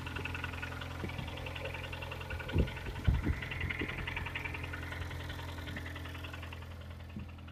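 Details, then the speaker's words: 2011 KIA Sportage G4KD engine at 220,000 km, last cold start before overhaul, hood open: cold idle with light irregular tapping and a few heavier thumps; engine knock when cold. "давайте дернем капот, послушаем, какой звук на холодную."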